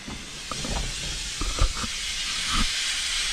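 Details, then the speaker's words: 1957 Autocar truck, first start since 2004: loud steady hiss of escaping air building under soft clunks; air leaks, suspected leaking tractor or trailer control valve. "well it takes a second but it sure does work you can hear all the air leaks in here"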